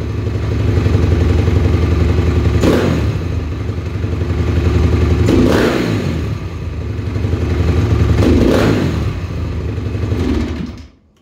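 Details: 2007 Honda CRF250R at ~7200 ft, 45 pilot, JD high-altitude kit (red needle, 4th clip), Boyesen QS3 ~7/8 out, fuel screw ~2 out; thumping idle, three sharp throttle snaps each briefly stumble: slight off-idle bog on hard snaps after accelerator pump timing tweak.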